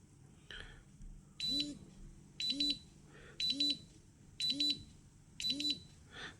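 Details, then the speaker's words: Atom-scan dosimeter, source brought closer to trigger the second alarm threshold (thresholds set at 25, 30 and 50): a high double beep about once a second with a low buzz. "далі підношу ближче другий поріг"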